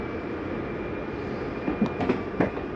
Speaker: I want you to hear that noise, whether the slide's going in or out. It's nothing grinding. That's just the slide mechanism saying I'm in all the way.